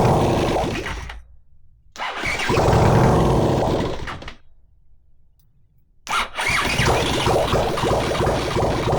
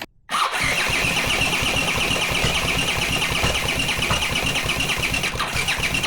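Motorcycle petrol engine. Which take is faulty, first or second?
second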